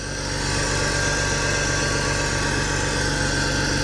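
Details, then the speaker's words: BMW E46 325ti M54 after CCV delete, catch can install and idle control valve cleaning: steady even idle with a fast light tapping from the top end about four per second, already known to owner; otherwise normal idle. "Stuff seems good. It seems happy. It does seem happy. There's a little tappy tap on the top, but I know about that."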